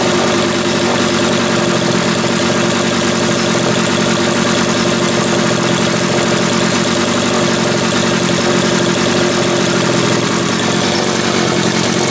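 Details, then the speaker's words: Homelite 330 two-stroke chainsaw, formerly trash-heap bound: continuous bright buzz at even pitch without stumbles or cut-outs; kill switch wire not yet hooked up; runs cleanly. "didn't take any time at all but again for a saw that was ready for the trash heap sounds pretty good doesn't it"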